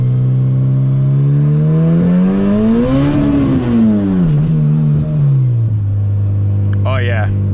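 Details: Boosted Honda CRX, first drive in 7 months: engine note climbs then falls through a gentle first-gear pull with a rough, uneven fluttering edge under boost; cause undetermined.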